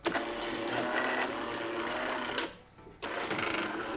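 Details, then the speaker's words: Jura A7 espresso machine after replacing the cracked brewer mechanism (error 8): brewer motor whirs evenly, pauses, then runs again with no grinding or clunking while brewing a 70 ml espresso; normal brewer operation. "Well, it brews nicely, this Espresso. Listen slowly, without rushing, these 25 Italian seconds from the book. You can see how nicely it brews"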